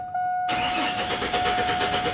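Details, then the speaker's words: 1996–2003 Chevy Silverado/Sierra/Tahoe/Suburban (4.3, 5.0 or 5.7) with no spark, cranked with power to the ignition signal removed. Starter churns evenly but the engine never fires; crank no start. Owner suspects a faulty connector. "bien obviamente y no prende"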